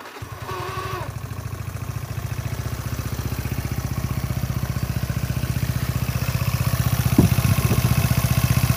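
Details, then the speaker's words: Motorcycle engine idling rough: steady idle about four beats a second with a coarse rattly edge on each beat, a loose crankshaft pulley knocking where its rubber damper is gone; fixed by reusing an LPG-cylinder rubber seal. "n jadi ini suaranya kasar dari sini ya kalau dilihat sih dari sini kirian ini suaranya kembelicik banget enggak enak didengar"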